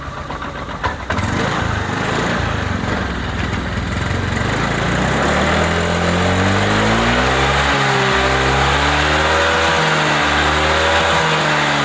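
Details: Honda Vario 125 scooter: engine revs rise and fall unevenly, stuttering and briefly dropping out, with smoke turning white then black. Mechanic says it sounds like a dirty spark plug; cause not confirmed.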